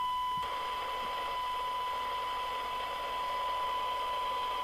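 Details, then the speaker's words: 1981 Grandstand Gemini CB27/81 UK FM CB radio during receiver alignment, IF transformer T11 found far off tune: thin steady 1 kHz test tone sitting low over constant hiss, weak reception. "Then we drop the signal generator and do 11. That's the one that's out. Miles out."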